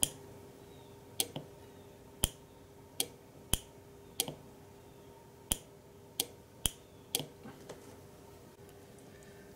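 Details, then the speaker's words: Uncovered relay on a relay module with its coil switched at 5 volts via a momentary switch, moving the contact from normally closed to normally open; crisp single clicks at uneven intervals over a faint hum, relay pulls in and releases cleanly. "when I apply 5 volts, I activate the relay and move the contact so that the normally open is now closed, and the blue LED will then go on"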